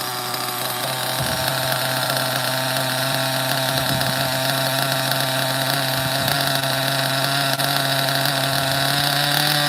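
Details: OFNA Ultra MBX nitro buggy with rare 2-speed and Hyper 21 Turbo engine, just fired up after hard starting from too little priming; high buzzy engine revs, then settles unevenly with a soft burble, running very rich but spinning well.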